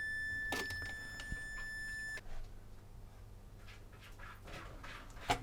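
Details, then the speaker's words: Xbox One S (Beep On Beep Off, corroded, destroyed HDMI port) after resoldering HDMI port pins; steady high continuity beep about two seconds as probes cross pins, showing a solder bridge shorting them. "I think they look okay with no bridge in so let's just try and check them this will beep if they're touching"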